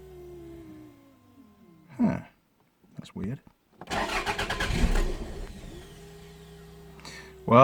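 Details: 1992 Toyota MR2 parked at least six months, with earlier ignition faults. It starts, idles steadily a couple of seconds, then falters and stalls. Cause not yet found.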